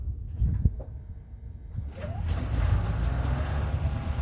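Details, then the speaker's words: Engine that previously had a loud knock, believed lifter-related, now after 200 miles on AMSOIL: it catches and settles into a low, even rumble, the knock almost gone with a slight timing-chain sound remaining, running normally. "that's unbelievable no way there's a little bit there but it's almost gone oh that's the timing chain it sounds like just normal motor what the heck"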